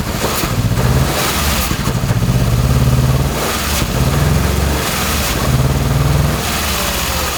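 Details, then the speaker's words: Swapped 2.5L Subaru Crosstrek engine running on only two cylinders, others' injectors unplugged for testing: lumpy uneven throb surging and sagging with blips; rough running, cylinder 2 underperforming, cylinders 2 and 3 later judged the weak ones. "Alright, so obviously cylinder 2 seems like one of the guys isn't really performing like we want."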